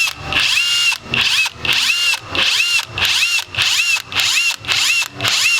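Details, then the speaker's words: Matco Infinium 3/8" cordless impact wrench: a loud high whistle sweeps up with each hammering burst about every 0.7 s, far louder than other guns ("sounds like a freaking train"); Bill from Matco thinks they may all do it. "I mean, a slight whistle, but this one seriously sounds like a freaking train."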